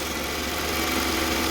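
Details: 2005 Toyota Camry 2.4L four-cylinder just after fuel injector and fuel rail replacement, fuel system primed with key-on cycles: steady, even idle with a smooth hum and no misses, hissing or ticking; normal idle, no fuel leaks seen.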